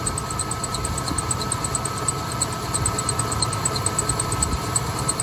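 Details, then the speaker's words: 1988 Ford E150 Econoline van, 4.9L engine, idling after tensioner idler pulley replacement: thin steady squeal with quick regular chirps, much better than before; owner suspects the belt still slipping and may need a new belt, unconfirmed. "there's the squeak oh are you telling me it's something else I hear the squeak back guys I wonder if I need a new belt"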